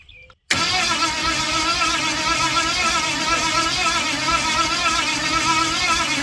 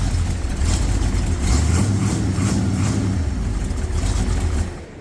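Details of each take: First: Ford 460 big-block, formerly rust-seized, pulled from an RV, carbureted with distributor: steady fast cranking that never fires; spark present earlier when changing carburetors but none now; owner considers rechecking timing. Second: Owner's buggy engine, flawless for years, used to test a Dura Spark ignition module for the 460 project: deep steady V8 rumble, even beats, no misfire or stumble, runs smoothly, then sound drops away; module confirmed working.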